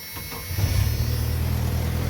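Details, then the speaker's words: 1995 Jeep Wrangler after exhaust manifold gasket replacement, bolts torqued to 30 ft-lb crisscross: engine starts and settles into a steady, even low idle with no ticking or puffing; normal. "So, I torqued it all down using a crisscross pattern, connected all the plugs, bolted up the throttle cable, um put the throttle body back on, and then I put the intake box back on and this is what it sounds like now."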